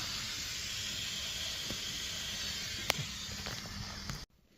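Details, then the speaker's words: Ford Cargo 0813 ex-library bus being recommissioned: steady high-pitched hiss with no rhythm from under the vehicle, a pressurised air leak; owner suspects brittle old O-rings, location not yet found. "So somewhere down there we've got an air leak, which is the little O-rings that they go brittle over time and just start leaking air."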